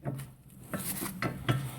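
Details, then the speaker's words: 2001 Dodge Ram 1500, raised front passenger wheel spun by hand, ticking while driving straight: sharp metal-on-metal ticks a few a second; lots of play found in front axle U-joint; worn U-joint ticking. "we have play right here and the U joints and that is a lot of play"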